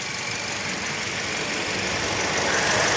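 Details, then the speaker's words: 2016 Toyota Corolla petrol engine knocking lightly, about four times a second, under hissy engine-bay noise; cause found as wrongly installed cam timing OCV valves, with mismatched part numbers between positions one and two on the exhaust side, fitted by another workshop. "number two this part number is different from number one so must be in a same part number in ex side a problem for thising noise"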